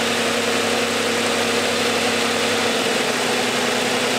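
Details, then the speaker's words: Engine power balance test at idle, six cylinders, coil pack connector for cylinder four unplugged: steady idle turns uneven and lumpy with an rpm drop, running on five cylinders, so that cylinder was firing. "and you can hear a sun reduction in the RPMs so now we're back firing and all six and then have reduction and do the same thing this is number four and you hear a reduction in the RPMs now the car is running on 5 out of 6 cylinders"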